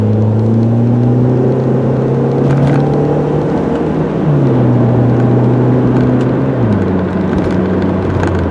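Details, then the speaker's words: 2000 VW Passat GLS automatic with Tiptronic, 110,268 miles, driven in early-winter cold: the engine note climbs then drops cleanly twice, smooth prompt upshifts from a healthy automatic transmission. "All right, here we go. I'll shut up and you can hear it shift."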